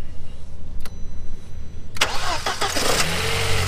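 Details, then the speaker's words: 400,000-mile B5 Passat 1.8T after coilover installation: quick crank, clean catch, then a steady low, even idle with no misses or knocks; runs smoothly. "Oh yeah. purrs like a kitten."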